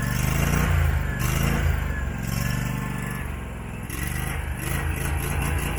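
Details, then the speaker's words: Abandoned Husqvarna mower, possibly a 2002, V-twin, first start: low idle won't hold steady, rising and sagging every second or so; surging idle, owner suspects the carburettor. "good Lord that's freaking awesome you can definitely tell it surges the carburetor like all that stuff I showed you"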